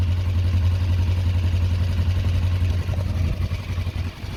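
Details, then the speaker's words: 2004 Kawasaki ER-5 twin, custom painted, after exhaust fitted and carbs worked on and bled: steady, even low burble at idle with no misses, ticks or hunting; sounds great so far, normal idle. "and sounds great to me so far guys"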